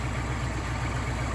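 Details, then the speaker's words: 1977 Jeep CJ5 rescued non-running, after carburetor work, idling with no choke: even, steady low thump about seven or eight beats a second with no stumbles, smooth healthy idle; carburetor judged good. "like a sewing machine this carburetor is good"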